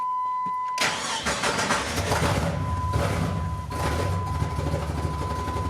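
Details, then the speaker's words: $150 salvage-auction Jeep Cherokee after new fuel filter, regulator, fuel line and NGK plugs, fuel smells bad: idle uneven and lumpy, stumbling and breaking up; misfire, cause unknown (owner suspects crank sensor or fuel pressure). "It's definitely breaking up still."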